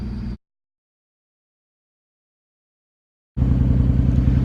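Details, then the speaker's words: Nissan Skyline idling after replacing a blown turbo flange gasket, with studs found missing or loose. Uneven thumping sputter at about 3.5 pulses a second, new since the work; it sounds boxer-like and underpowered when revved. Cause unknown. "I'm here hanging with the skyline it's like sputtering it wasn't doing that before and it sounds like a boxer motor when you give it gas it's really really weird feels underpowered and the noise just throwing me off"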